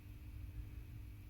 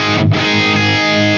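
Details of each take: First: Carvin MTS 3200 tube amp head, first power-up off standby with volumes at zero: steady low hum with a faint constant tone above it, more than it should have; suspected to come from the power stage, not the preamp. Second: Carvin MTS 3200 tube amp whose drive channel had lost its tone, playing with moderate drive: a clean, full distorted guitar chord ringing out and decaying without hum, crackle or fizz; the drive channel sounds acceptable.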